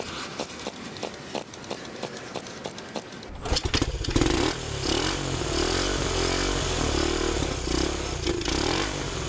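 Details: 1971 Honda CT90 sold as non-running with low compression, now revived on fresh gas: a few sharp clicks from kick attempts, then the single catches and settles into a steady, even putter; normal running.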